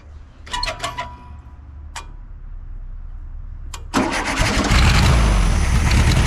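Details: 1973 VW Super Beetle with the clogged fuel filter removed: a few short cranks and pops, then it catches and settles into a steady, even idle; the fuel pump delivers well, so the filter was the fault.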